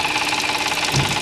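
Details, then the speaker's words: Audi S (2014) cold start. A fast metallic chattering rattle from the top of the engine rises then fades; obvious when cold, not heard when warm. Caused by a broken timing chain guide letting the chain slap. "它这个声音啊，是从慢慢起来，再慢慢又没掉。循序渐进的，它不是一直响在那里，刚好撞到那个位置，它就响了。冷车的时候比较明显，热车的时候啊，昨天听不出来。"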